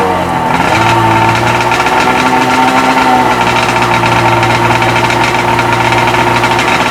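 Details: Freshly rebuilt Sea-Doo XP 720 two-stroke, driveway run on flush hose, pump disconnected: steady even burble holding one pitch, no knocks or misses; purring along, normal idle.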